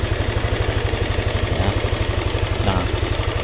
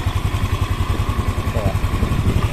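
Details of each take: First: Yamaha NMAX scooter with rough engine sound, suspected cylinder head; steady idle with regular tapping about four times a second, changes when cam chain tensioner adjusted, valve clearance to be checked; valve train ticking. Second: Yamaha NMAX scooter after cam chain tensioner work with the tensioner hole closed; even steady low thumping about nine beats a second, ticking gone; normal idle.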